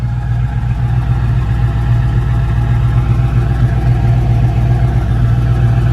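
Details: 1967 Ford Mustang GT350-themed, 289 HP V8 with automatic, rebuilt under 5,000 miles ago; a couple of pedal pumps and it fires right up to a deep, even V8 burble at idle, no ticks or exhaust leaks, no overheating; normal healthy idle.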